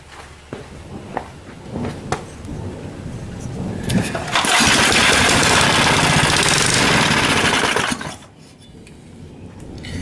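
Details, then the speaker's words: Small 3hp Briggs single-cylinder engine after its cast aluminum carb was welded, running on starting fluid. It catches after a few pulls and runs strong and steady for a few seconds before shutting off; it sounds healthy. "i've just got some starting fluid in there for right now but uh working good so you can see that uh we got her all fixed up she ain't pretty but uh she's gonna work just fine"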